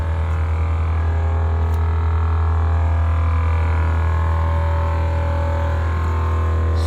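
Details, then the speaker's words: HornBlasters 244 train horn kit air compressor on a GMC truck, newly installed, filling tank (shuts off at 150 psi): deep steady droning hum, somewhat loud, pumping up quickly; normal compressor operation. "as you guys can see it's pumping up there you go it's pumping up real quick compressor is somewhat a little loud am i gonna lie to you guys"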